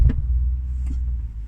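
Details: BMW M6 Gran Coupe F06 with DCT gearbox, auto start-stop restart on lifting off the brake, phone resting against the transmission: deep rumble with a dull thump at restart and another about a second later. Cause suspected, unconfirmed.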